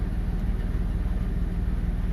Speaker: bom aí pessoal acabei de ligar o carro tá no giro um pouco alto ali porque acabei de ligar agora